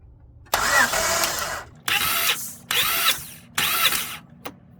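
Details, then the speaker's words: 1998-2002 Honda Accord F23 four-cylinder compression test, throttle held wide open to disable injectors, four cranks per cylinder: four evenly paced starter bursts, no firing; cylinder matches previous reading, normal compression. "That one is the same as this one. So that's good."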